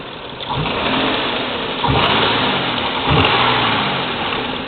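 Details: 1996 Nissan Maxima GXE with codes P1320 (ignition signal) and P0305 plus a knock sensor code, coils and NGK plugs already replaced, revved three times with the hood up: uneven, ragged rise and fall, consistent with a misfire of unknown cause.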